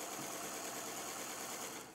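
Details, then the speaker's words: Electric Eel Wheel 5 spinning wheel: steady, even high-pitched whir with no clicks; not yet fully worn in, normal running noise that quiets with use. "but to get the volume sort of all the way to the lowest state you just have to use your electric eel wheel for a while but I mean this one has no click in it at this point"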